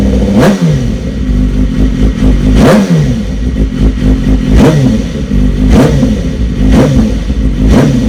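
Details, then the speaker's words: BMW S1000RR inline-four just after fitting a decat link pipe: loud raspy start-up and sharp throttle blips roughly every two seconds, rising and falling cleanly; noisier exhaust but running normally. "Right, I think that's enough noise. It's certainly noisier. Yeah, it's certainly noisier, but"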